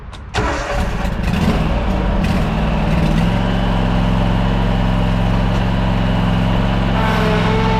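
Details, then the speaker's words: Toro Z587L zero-turn mower after repairs for overheating, test passes on a field: fires after short crank, picks up and runs steadily with no knocks or misses; temperature holds steady, no overheating. "The temp's holding steady, didn't overheat. It's all working good now."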